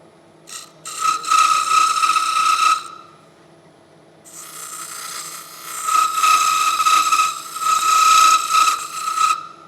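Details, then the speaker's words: Woodturning lathe cutting a cup without running-center support: rasping cuts with a steady high buzz ringing through each pass, stopping between them; tool chattering on unsupported work. "You can hear it chattering."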